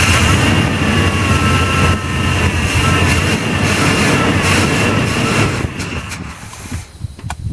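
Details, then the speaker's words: 1981 GM square body truck, first start after 25 years in a field: catches and runs loud and steady, then dies as the carburetor float bowl runs dry; charging, with oil pressure. "But it is only running until it runs out of gas in the float bowl, but that's okay."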